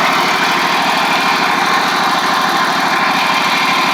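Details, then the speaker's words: Ferris stand-on mower with 2018 Briggs Vanguard twin 49E877 that had been running on one cylinder from a loose intake pushrod guide bolt that threw the pushrod, now refitted and gapped: steady, even firing from both cylinders with no skips. "Looks good. Pretty simple fix there, guys."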